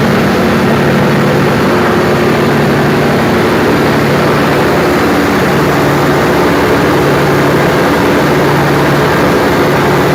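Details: Perkins 4012 diesel engine after general overhaul, first start before load testing, with a newly added pre-lubrication pump (oil pressure only 1–2 before start): steady heavy diesel roar, even firing, no knocks, rattles or surges; normal running.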